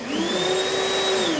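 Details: Vasa multiprocessor food machine during a speed demo (first and second button settings compared by sound): steady mid-pitched motor whine holds even speed after spin-up, then dips as it slows; normal healthy running.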